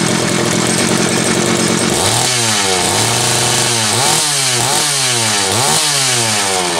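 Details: Homelite 330 two-stroke chainsaw, formerly trash-heap bound: screams steady, drops to idle, picks up cleanly on repeated quick blips without stumbling; kill switch wire possibly unconnected; healthy.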